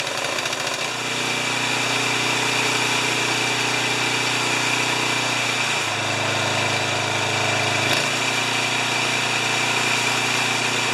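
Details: 30-inch Craftsman snowblower engine after repairing a cross-threaded spark plug, reassembly and adding 0.8 L of oil: the small single fires up and holds a steady buzzing run, with speed dipping briefly then recovering. It is running properly.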